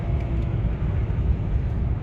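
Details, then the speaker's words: 2007 BMW E60 525i, 65,000 miles, on private road after repair of hum then loss of drive: steady low rumble, shifts through all gears, slow but no clunks or whine; normal drivetrain on road; engine light on, bump bang noted. "it's going through all the gears it's slow it isn't fast but it's doing everything it should do"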